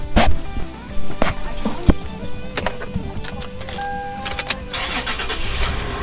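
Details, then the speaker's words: Toyota 4Runner 5th generation starting right after its starting battery was replaced: a short, brisk crank, then it fires at once and settles into an even idle under radio music. Owner says much better. Normal start. "Oh yeah, much better."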